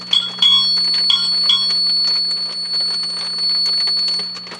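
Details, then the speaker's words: HP 400H meter with a microphonic tube: steady high-pitched squeal over low hum as the ICO 147A signal tracer gain is raised into oscillation, with bell-like rings when the tube is gently tapped. "now what it does is it goes into like an oscillation i'm adjusting the volume control on my ico signal tracer i'm not touching anything else on the instrument i don't know if you can hear that squeal"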